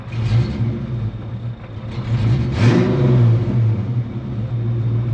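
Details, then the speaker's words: Project Frostbite, just after O2 sensors were fitted and H-pipe changed, with a known exhaust leak: idle rises and falls unevenly, settling briefly then drifting again under a low exhaust rumble; idle hunting, cause unknown. "settle down, and then it'll go back to hunting."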